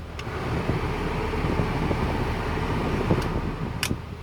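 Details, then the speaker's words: Starlet interior with air conditioning running, airflow directions floor and face all working; even blower rush over soft engine hum in cabin, no rattles, squeals or cycling; air conditioning working normally. "everything it should all direction stuff's working all right floor the face it's really really good"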